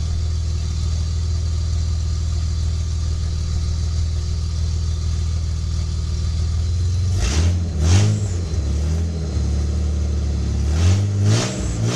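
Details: Project Bluebird after fitting almost-new headers with gaskets and a freer-flowing, lighter exhaust: deep, steady idle with two quick throttle blips that rise and fall cleanly, no rattles or popping; a healthy engine with a throaty exhaust.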